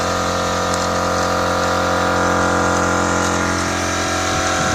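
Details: Chinese MUXCUT air compressor, previously humming but stalling near 2 atm, after replacing its 25 µF 450 V start capacitor: steady mechanical hum with an even pulse of about four beats a second, running smoothly.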